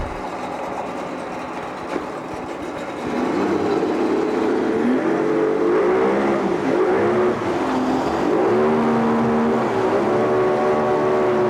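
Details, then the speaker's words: 1988 Yamaha 40 hp two-stroke oil-injected long-shaft remote outboard (40ELG), compression 120, carbs cleaned, running on the stand: steady buzz rising slightly with throttle blips, firing evenly; great-running motor. "Great running little motor. We'll fire it up here."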